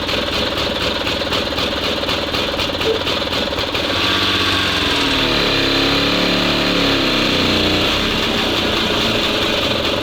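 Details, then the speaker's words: SMZ invalid carriage two-stroke (motorized microcar) after long storage, charging works, gearbox oil still to be added: busy crackly note, steady, swells cleanly when revved and settles back; runs evenly, normal running. "это жуть Ну всё работает И самое главное что она двигается взад вперёд"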